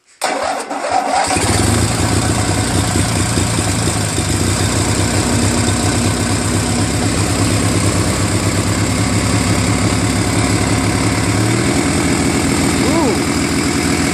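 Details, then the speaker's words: Murray Ultra garden tractor opposed twin, which ran rough and backfired, after carburetor overhaul, magneto replacement and two new spark plugs: the starter cranks, then it catches and settles into a smooth, steady run with no popping; much better. "much better that sounds much better"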